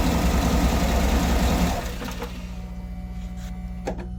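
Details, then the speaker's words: 2008 Cadillac Escalade randomly shutting off and hard to start, codes P0335/P0336 crank position sensor; wiggling the sensor wiring, the steady idle cuts out abruptly, leaving a faint hum: stalling from intermittent crank sensor connector wiring. "See right there, it turned off. So, I believe the connector probably has a problem."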